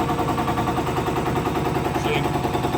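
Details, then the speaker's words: 5915 injector on a test stand at max torque, 285–290 cubic mils, like a hard pull: slower-sounding, fast steady even rattle of pops, crisp and consistent; healthy injector. "it sounds slower, but it's putting a lot more fuel. Right. Now we're up to 285 cubic mils, so That's like if you were at a real, like a hard pull."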